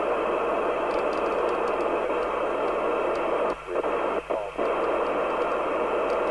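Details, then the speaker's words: Interceptor TC300 CB27/81 UK FM CB radio after dry joint repair and reference crystal replacement, receiving on aerial: steady band-limited hiss with brief dropouts near four seconds; receive working normally. "i've just got this on the uh aerial is it it seems to be working sounds like it is roger"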